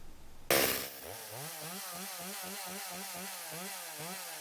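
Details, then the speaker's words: Stihl 025 chainsaw after oiler repair (new oil pump, worm gear, O-rings, pickup tube, pickup; glued pump holder melted by clutch bell), bar and chain refitted: sharp start then even high-pitched run; running healthy, chain oiling. "I am going to put my bar back on put my chain back on and run it and just to make sure that the chain is actually throwing off some oil"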